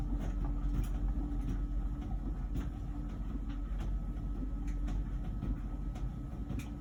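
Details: About a year old LG Wash Tower WKHC202HBA heat pump ventless dryer mid-cycle: steady low hum with soft irregular tumbling thumps and no buzz yet, before the new buzzing appears; normal tumbling.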